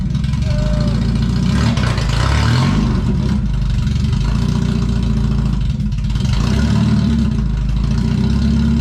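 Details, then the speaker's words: Mazda Miata without its cat-back section, before the new full exhaust goes on: a harsh, raspy blare swells with each throttle blip and drones at idle; obnoxiously loud, like a dying lawnmower. "i want to tripod to start up just so you can hear the before and after pulling off the card to see how ear-wrenchingly loud it is"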